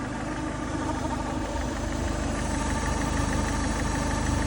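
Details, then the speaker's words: 2010 Peugeot Bipper 1.4 HDi diesel idling, radio off: steady rapid clatter about three beats per second over a low rumble, never heard before; owner suspects a belt; cause unconfirmed. "oh dear dear me don't know if that's a good sound or not"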